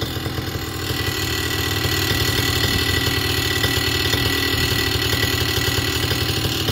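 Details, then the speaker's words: Vittorazi Moster 185 paramotor two-stroke, warm, after leaning the low-speed needle: even, steady idle with regular firing pulses and revs slowly creeping up without throttle; idling much better, close to ideal; normal idle. "but you can see it's it's idling much better towards the leaner side"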